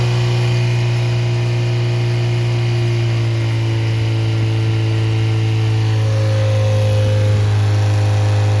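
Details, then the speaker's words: Rebuilt Triumph Spitfire/MG Midget 1500 performance engine (flat-top pistons, 270 cam) on run test: smooth steady idle, even low beat, faint electric fuel pump whir; oil pressure 60-65 warm, temperature holding, compression 195-202; healthy. "All right, so as you can see, it runs well, has good oil pressure, and the compression is very good."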